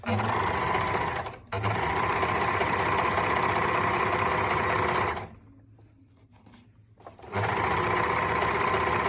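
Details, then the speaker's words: Singer 4-thread overlock chaining off with no fabric: fast, even stitching chatter, a short pause, then the same smooth run. If every thread stitches when running empty, the stitch is correct, so the overlock is running normally. "Boşta örüyorsa her iplik overlock boşta örüyorsa dikiş tamam demektir."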